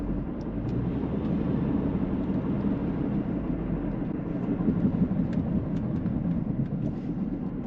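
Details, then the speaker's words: Subaru Outback auction car found with no oil on dipstick, refilled: harsh rough ragged roar with smoke that looks like oil, oil pooling under resonator; source unconfirmed, possibly a sensor. "That sounds horrid. There's definitely smoke. Looks like oil."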